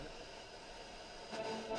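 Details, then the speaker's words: Mid-1960s Hacker Sovereign British portable radio on PP3 batteries: steady, even hiss with no station on long wave while medium wave and FM work; long wave reception dead. "It's just a long wave. I still don't seem to be able to get any station there."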